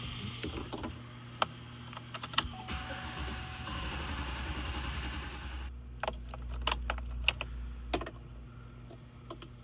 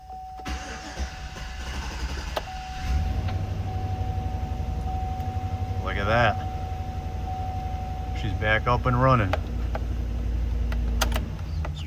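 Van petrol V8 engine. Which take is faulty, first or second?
first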